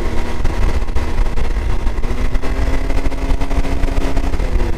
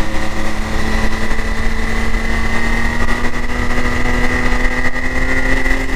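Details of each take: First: 2022 Can-Am X3 DS Turbo 120 after installing a P Drive primary clutch, held at 5100–5300 rpm: steady even drone, clean tone, previous 5100 rpm clutch rattle gone and much quieter; normal primary clutch at high rpm. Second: 2022 Can-Am X3 DS Turbo 120 with the stock primary clutch: a high, steady engine drone near 5100 rpm with a light metallic chatter riding on it. The rattle is gone after a PDrive primary install.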